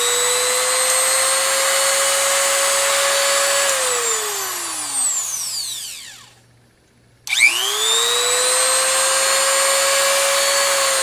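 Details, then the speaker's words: New replacement rotary tool (substitute for worn Dremel), unloaded, speed varied from slowest setting: high clean whine holding steady, winding down to a stop, then spinning smoothly back up, no rattle; healthy tool. "makes cool sounds I like that [Music] oh it's no V8 engine but it'll have to do"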